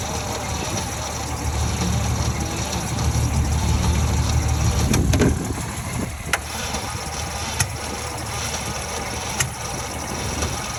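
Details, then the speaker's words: 1949 Ford shoebox sat 50 years, cranked with gas poured in and ignition timing possibly 180° out: sluggish cranking that tries to fire but never catches. A new starter cable, added ground and new jumper cables didn't cure the slow crank. "it's still super CL slow crank it's trying to fire you can hear a little bit so that seems that's promising"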